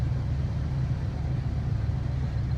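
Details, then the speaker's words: 1978 GMC Diplomat Class C motorhome (Vandura), dual fuel tanks, running on right tank after fixing shorted tank toggle switch that made engine die; switch wiggled, still runs; dropped from high idle to normal idle: even, steady low rumble, no stumbles or hunting. "Get out of high idle. Now it's normal idle. And back into high idle."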